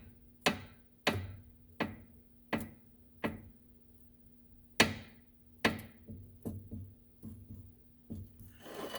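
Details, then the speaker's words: 2005 Subaru Legacy GT 2.5 L turbo stabilizer end link, rusted, levered with a pry bar: sharp single pops about once a second; the worn ball joint lacks grease and is compressed by rust; fix is to replace the joint. "Now that popping sound is exactly what the customer's hearing. So the only solution for that is to simply replace the joint."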